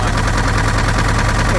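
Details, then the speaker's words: An early-1970s Case 580B backhoe diesel idles with a heavy low drone and a constant breathy rush of crankcase blow-by. It is slightly better after an added treatment but still bad, and an in-frame rebuild is planned. "Yeah. I want to say that's a little bit better than it was. It's still not good. I mean, you shouldn't have any blow-by, but"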